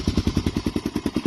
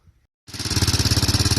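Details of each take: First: 2004 Honda TRX 400 quad after its failing camshaft decompression mechanism was cancelled by fitting a camshaft without it: even single-cylinder thumping idle with the former tick-tick gone. Normal idle. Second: 2004 Honda TRX 400 ATV single-cylinder engine at idle: light quick tik-tik on each beat, caused by faulty automatic decompression mechanism on the camshaft; fix is a camshaft without the decompressor.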